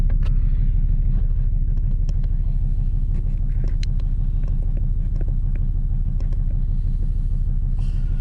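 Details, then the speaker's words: Volvo 2.4 D5 Euro 3 diesel after glow plug change, cold start at -3 °C, heard through open window: starts on first crank, deep, steady rumble with an even beat and no misfire or stumble; cold idle smooth. "Here we go, it fires up. It's cold tonight."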